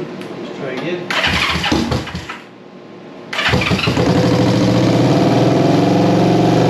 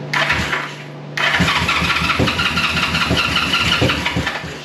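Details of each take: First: 1973 Honda CB350G twin after fitting a Mikuni VM28 carb kit, first start: cranks, catches and settles into a firm, even run that picks up cleanly when revved; it's a runner, though a leaky petcock remains to fix. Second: 1973 Honda CB350G on first dead-cold start after a Mikuni VM28 carb kit install, fed from an auxiliary tank: steady starter churning with compression pulses, never catching, as fuel hadn't yet reached the carburettors; spark confirmed, it later started normally.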